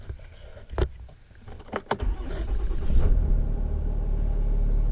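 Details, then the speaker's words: Dodge Ram Cummins diesel after fuel filter replacement: a few clunks, then it catches and settles into a steady, even low idle with no misses or knocks; battery voltage and turbo boost fine, nice and smooth. "Nice and smooth."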